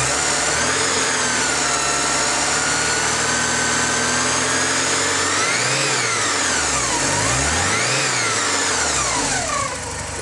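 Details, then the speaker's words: 1985.5 Porsche 944, cold and warming up: smooth idle with a high whine, then repeated throttle blips rising and falling cleanly with no hesitation; healthy throttle response. "as you can hear there's no hesitation so we're going to go on a little uh test drive just to show you that everything functions the way that it should"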